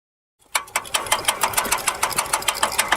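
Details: Piaggio Ciao moped with sharp, steady rhythmic clicks about six a second coming from the rear wheel; cause unknown to the owner.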